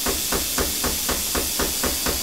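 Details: Low-voltage plasma cutter with torch trigger bypassed by shorting the plug prongs with a screwdriver: steady hissing air with even pulse about four times a second, no dropouts; machine fine, fault in torch switch or its wiring.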